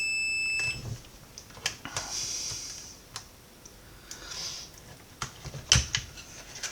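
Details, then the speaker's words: Roberts R900 radio, made about 1985, faulty, under repair: continuity check of a second diode gives a steady high beep under a second, then probe clicks; the rail reads as a dead short. "Let's just check that one. Right, well, that doesn't look right, does it?"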